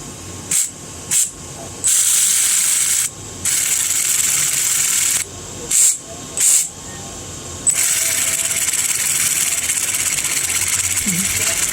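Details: Arma Vortex RC electric motor, failed: throttle bursts give a harsh, hissy, rasping whir instead of a clean whine, from bad, worn bearings.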